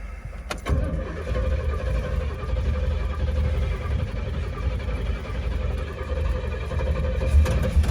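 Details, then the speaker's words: 1967 Pontiac GTO V8, abandoned with about 16-year-old fuel, primed with fresh gas and fuel poured into the carb throats: slow, labored cranking with a couple of weak catches that never take, until the battery dies; no start from fuel starvation. "All right, so I found more gas, and now we're gonna prime the crap out of it until it juices out all the gaskets."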